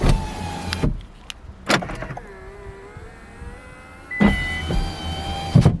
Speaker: I can enable operating my windows just from key fob with this option power window up and down with transmit